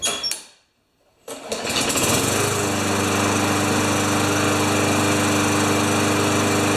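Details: Craftsman Tecumseh mower after an oil change (600 ml), started without the primer on about the fourth pull. It catches and settles into a fast, even drone with no stumbling or surging; healthy running.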